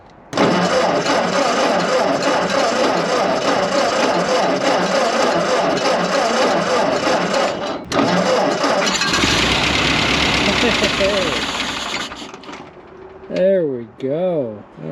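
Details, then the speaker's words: Old auction tractor after sitting for years, restarted after cleaning all four spark plugs, with a new carburetor and fuel bowl on order: catches and roars several seconds, then dies, followed by slow cranking attempts. Fires briefly then dies. "Well, super excited as I am to hear that thing pop off and run for for a second, I think we're just going to wait until Saturday when the carburetor and the and the uh fuel bowl come in."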